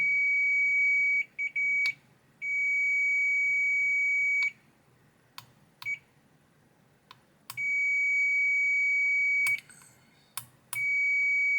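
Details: Hisense AC board with a processor communication error, after the broken track was bridged: a clear high steady beep each time the probes touch, with silence between, confirming the repaired track has continuity.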